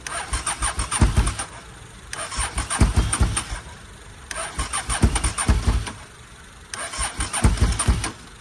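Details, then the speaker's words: 1998 Honda Superhawk (Firestorm) that kept locking up, cranked on a car battery: four cranking bursts each firing a few pops then dying; won't keep running, carbs suspected. "all right guys so after a while of cranking got it on my car battery see it uh I got a to fire a little"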